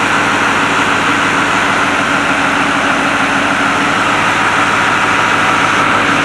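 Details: White 4-175 tractor, restarted after rear main frame repairs: remote valves fitted, hydraulic oil filled, speed sensors not yet installed. Steady, even diesel clatter at constant speed, no knocks or misses; normal running.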